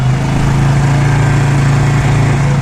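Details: Motorcycle that is hard to start, won't hold idle without throttle and won't rev up high: a low, labouring single-cylinder idle that barely holds on, caused by a split carb-to-head intake rubber letting in extra air. Finding: rough idle and stalling from intake air leak.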